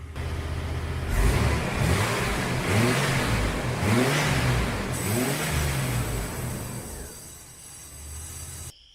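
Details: Insurance-auction project car at idle with the A/C running and cooling, dye visible: engine revs up and down smoothly then settles, no hissing of R134a or knock; healthy engine, normal running.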